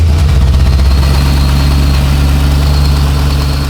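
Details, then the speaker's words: LS1-swapped C3 Corvette barn find that sat for a very long time, running after revival: heavy, lumpy V8 idle with a thin, steady high whistle over it, perhaps belt or pulley; whistle at idle. ">> Hear that whistling? >> Yeah."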